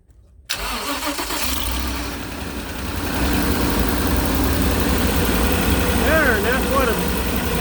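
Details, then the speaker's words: RV engine started with key on ignition: starter whirs briefly, catches and settles into a smooth, even, deep idle, no knocks or misses. Normal start and idle. "looks like and sounds like and yes that's still on so that'll work great"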